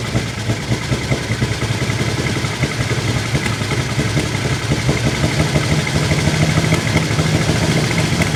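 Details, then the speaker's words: 1949 Chevy Fleetline Deluxe six, first start after the engine was opened for stuck lifters and bent pushrods, with the side cover off. It gives an uneven, lumpy, stumbling idle; it is rough but seems to be hitting all six. "it's definitely hitting all six now would you agree Dave yeah I mean it's rough but all six might be there"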